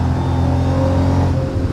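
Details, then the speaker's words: Mercedes SL55 AMG (M113K supercharged, nearly 200,000 miles) after installing double idler and tensioner pulleys: full-throttle pull from cruise to about 100 mph, steady supercharger whine over exhaust roar; normal supercharger whine. "Nothing too crazy, just like literally I'm cruising, I'm gonna floor it. And you can hear that nice little whine."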